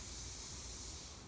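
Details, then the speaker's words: Nitrogen tank regulator for HVAC pressure testing: steady gas hiss softening as regulator is backed down while Schrader valve is pressed, no whistle or sputter; normal bleed-down. "I got a push in the Schrader valve and adjust the pressure to what I want and you can hear it kind of go down when I back this down"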